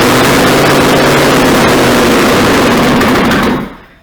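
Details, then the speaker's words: LS-swapped Nissan 300ZX Z31, first start after intake and harness install, fuel system not connected, brake cleaner sprayed in: loud fast crank catches, roars briefly, dies after about three and a half seconds; wiring confirmed correct. "Hell yeah, guys. Started up. I can't believe it started."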